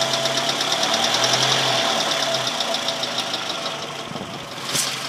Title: Ticking noise :/